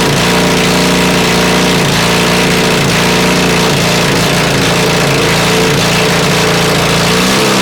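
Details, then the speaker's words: Honda CB450 project bike, never-run 450 engine on 400 carbs, 400 CDI and 250 wiring loom, fed from an auxiliary tank, first start: loud, uneven, stumbling revs with a wavering note, flames from the exhaust, sounds awfully hot; rough running, mixture likely off. "Turn that off. I think I've gone deaf. But it runs. Wow. That sounds awfully hot."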